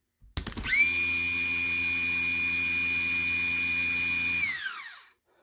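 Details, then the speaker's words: HWH RV hydraulic pump motor RAP91244 on a crude bench test after new carbon brushes, contact poor at first: quick spin-up to a steady high whine with a smooth hum and clean coast-down; runs well. "Well, not making good contact. There she goes. Sounds good."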